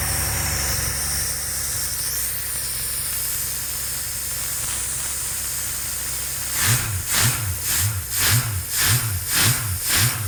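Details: Experimental aircraft engine with Rotec TBI, primed and purged, throttle cracked slightly, mixture full rich: steady hiss then engine catches with even slow chuff about twice a second and keeps running; clean normal start.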